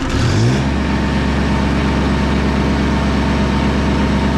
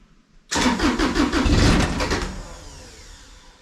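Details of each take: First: Bomag BMP8500 diesel roller after the throttle solenoid adjustment and fuel filter change: steady low idle clatter, then a clean rise in revs with no knocks or misses; engine running and revving normally. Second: Bomag BMP8500 roller diesel, cold: cranks about a second, catches briefly, then dies; idle set too low for the cold engine to stay running, throttle solenoid linkage to be adjusted for more rpm.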